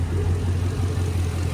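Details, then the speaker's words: 2008 Chevy Avalanche 5.3 V8, cold first start after full teardown for timing chain failure (heads repaired, oil pan off): low, even idle, steady pulse, no ticking or knocking; smoothing out, normal idle. "it's starting to smooth out a little bit now. Like I say, everything's got to kind of work itself out. That's not bad for this was a cold start, first start from having it all tore down."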